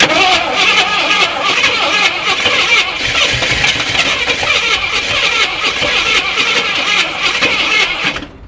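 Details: Long-sitting Jeep Cherokee Chief with probably bad old gas and oil pressure showing, fuel gauge near empty; fast steady starter whirr for about eight seconds with no firing before it stops; no fuel reaching the engine.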